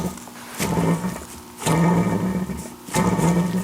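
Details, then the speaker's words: Old clutch throwout (release) bearing from an air-cooled Porsche 911 3.2 Carrera, still on the old pressure plate and spun by hand. A rough, gritty growl swells about every second; it wobbles and is badly worn, unlike the silent new bearing. "Now, I suppose you could service that possibly if it's not too far gone, but it feels the way it's sort of wobbling and yeah, that sort of grinding noise, it sounds super, super bad."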